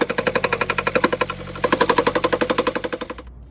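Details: 2018 Audi A3 four-cylinder engine: sharp fast clunking about four a second from a loosened variable valve timing bolt tapping the upper timing cover.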